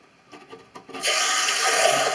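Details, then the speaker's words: Toilet cistern: a few light taps, then a steady hissing rush of water as the float valve opens and refills the tank. "Quand il n'y a pas assez d'eau, le flotteur descend, il se remet à niveau. Et ça fait du bruit quand ça fuit. Hein. Ça fait un petit bruit comme ça."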